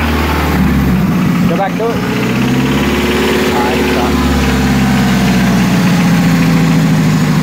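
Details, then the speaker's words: Nissan 240SX, sound from underneath as idle is blipped: knocking from the bottom end, suspected rod bearing knock though timing-chain slap was also considered; cause not confirmed. "i still say it's a rod baron it's pretty loud down there"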